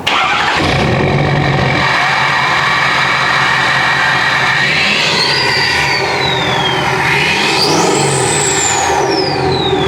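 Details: 2017 6.7L Powerstroke Platinum after an S&S DCR pump conversion and a Stage 2 KC Whistler turbo: the engine fires and holds a steady roar, with turbo whistle climbing and falling over two revs; runs smoothly and healthy.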